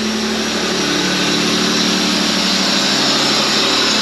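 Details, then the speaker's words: Holden VS Commodore ute, long parked, idling fast and steady well above normal. Covering the leak with a finger makes the idle more stable, and releasing it brings the high idle back: a massive vacuum leak. "So, if I back up here, it's idle right up high. Might take a second to correct itself. That sounds more stable already. If I take my finger off, there it goes again. Massive vacuum leak."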